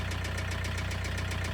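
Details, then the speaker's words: Great Wall Wingle 7 GW4D20D diesel that began knocking on the highway, idling: steady, sharp tick about seven or eight times a second; hydraulic lifter or rocker arm suspected, not confirmed. "as if there was a hydraulic compensator or a rocker arm knocking incomprehensibly."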